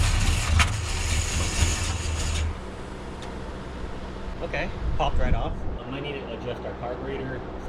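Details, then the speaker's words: Freshly installed Gen 6 454 big block Chevy with hydraulic roller cam and carburetor in a C30 dually square body, first start: deep rumble catches for two seconds then sags to a weak, uneven run; choke or idle speed suspected. "it's not either choke or our idle speed. Let me just play with that really quickly."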